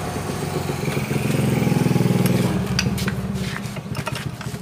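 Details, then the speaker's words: Honda Beat scooter electric starter: the starter motor whirs up and winds down freely, somewhat rough, with no engine catching; the starter pinion won't throw out to engage, so the engine isn't cranked. "masalahnya ini Mas dulu ya ini masih dibawa atau masih bisa muter oleh dinamonya cuman ini lo yang jadi masalah ini tidak mau nembak luar"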